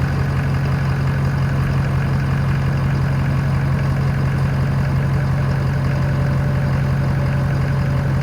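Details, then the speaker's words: Ford F250 6.7L diesel after an upgraded ProPower air-to-water intercooler install and coolant refill: steady, even diesel clatter at idle with a firm low rumble and no misses or knocks; healthy. "she's she's running so hey oh yeah I'm gonna let it run circulate a little bit"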